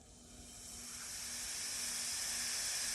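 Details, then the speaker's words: Roxor diesel intake: turbo pipe boot on factory connection pressurized with shop air to about 2-3 psi, steady high airy hiss from an air leak at the intake boot, confirmed with soapy water. "know if you hear that with about two maybe three pounds of air we'll get a visual spraying some water"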